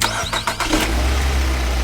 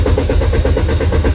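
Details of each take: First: Car that previously wouldn't start despite throttle valve, spark plug, ignition coil and oil line checks, after repair: a few quick cranking bursts, engine catches at once and settles to a steady, even idle; clean healthy start, fault solved. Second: Car that won't start: steady rhythmic starter cranking at about six to seven pulses a second, and the engine never catches. The throttle valve had been replaced and the spark plugs, ignition coils and oil lines checked. The cause is a dirty camshaft position sensor.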